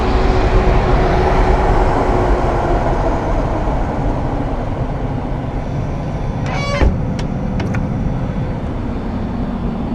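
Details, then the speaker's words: Smart SMTAH1D121Q high-static industrial air handling unit, speed pot turned up for higher airflow and static pressure (over 10 in capable): loud steady air rush with faint constant tone, no grinding; normal high-speed blower. "So now we've cranked up the speed pot, we've increased our airflow and our static pressure of this machine."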